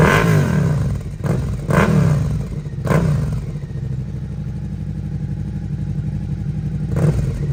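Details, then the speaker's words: Rebuilt Suzuki SV650 V-twin, aftermarket exhaust with dB killer fitted: deep lumpy burble, sharp throttle blips, loud open bark; revs cleanly, owner hears little difference with or without dB killer. "உண்மையில் , DP killer இருந்தாலும் இல்லாவிட்டாலும் எனக்குப் பெரிய வித்தியாசம் எதுவும் தெரியவில்லை , ஆனால் அது இல்லாமலும் கேட்க நன்றாக இருக்கிறது."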